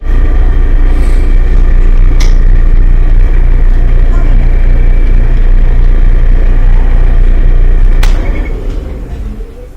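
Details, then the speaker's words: Electrolux dryer running: a deep, steady low rumble with a faint regular throb, caused by lint built up in the blower wheel and housing; cleaning out the lint fixes it without parts. "today we have the classic Electrolux dryer that's rumbling and this is due to a bunch of lint that's built up in the blower housing so pretty easy to fix doesn't require any parts"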